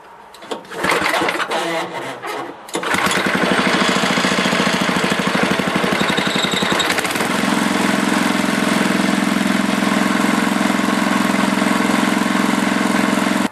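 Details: Older 7HP Tecumseh snowblower engine, warm restart after carburetor rebuild, one shot of primer, fuel adjusting screw turned out about a quarter turn because it was starving for fuel: a few pulls, then catches and settles into a steady idle with no hunting.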